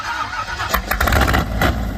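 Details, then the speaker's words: Volvo at startup: rough stumbling catch with uneven bursts as the flooded carburetted engine fights to fire and clear; breaking up, suspected to need smaller jets, float level checked. "Breaking up a little bit. Runs good. Yeah, baby. That's really flooded, Jordan."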